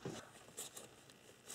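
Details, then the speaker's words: EGRC solenoid valve (P1400) from a 1997 Nissan Maxima bench-tested with battery power: a few short crisp clicks as the plunger moves when energized, showing the valve works correctly. "we should hear a clicking noise if we do the valve is working correctly if we do not hear a clicking noise then the valve is bad"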